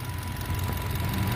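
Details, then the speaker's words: Idle of a 2010 Nissan Livina X-Gear manual with a 18-month-warranty battery; steady low engine hum with an even beat, no knocks or ticks, and the underside is dry with no oil leaks: a normal, healthy idle. "ini kalau ini stiker AC ya untuk mesinnya seperti ini suaranya"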